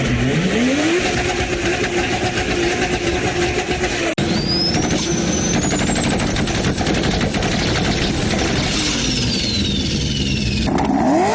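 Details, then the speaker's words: Turbocharged engine revving, with a high whistle rising and falling with boost over the engine roar; the whistle is the normal sound of the turbo spinning at about 360,000 rpm and forcing air into the engine. "now what is all that noise well that that that whistling sound you're hearing is actually that turbo spinning 360 000 rpm sucking in air and forcing into the engine okay it's going to make a whistling sound"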